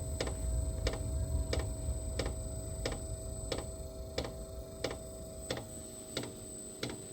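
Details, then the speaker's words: Diesel heater after running out of fuel (E08) and refilling, cold room, on lithium battery: soft regular fuel-pump clicks about 1.5 per second over a fading rumble; fired briefly then stopped. Owner suspects glow plug not warm, cold diesel, air in line. "I think it stopped firing, so I think the glow plug still needs to warm up. Sure, the diesel is cold going into the chamber."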